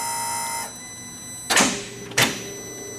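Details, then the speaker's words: Audi R8 V10 never seen running: pressing the starter gives two sharp single clicks about a second apart with no cranking. Starter clicks, no crank; cause unknown, possibly electrical. "so literally it just as soon as you hit the starter it just clicks"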